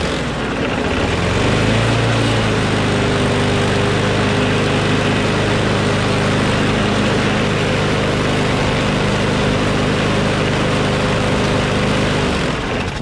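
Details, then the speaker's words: Craftsman Briggs & Stratton Quantum push mower after carburetor clean and bail cable replacement: even, steady single-cylinder drone without surging or misses; slight vibration, blade possibly out of true; normal running. "okay that sounds much better now alrighty ready ready so it vibrates a little bit which means the blade is probably a little bit out of whack"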